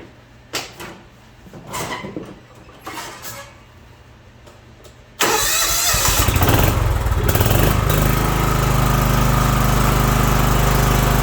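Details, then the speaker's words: John Deere 240 lawn tractor test run after drive belt replacement: a few handling clunks, then engine catches and settles into steady even run with no knocks, squeals or belt slip; healthy. "All right, there's our drive belt, guys. Let's fire it up and give it a quick test run."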